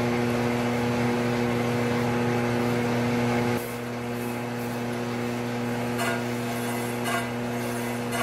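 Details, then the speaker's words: Triumph 650 unit crankshaft being ground, X and Y trued, journal damaged with bearing material left; steady hum then wheel bites with uneven rhythmic scraping bursts each turn as the out-of-round journal is cleaned up for the steady rest. "You could probably hear how out of round it was, but I've just got a little bit of it cleaned up so I can have something for my steady rest to press against."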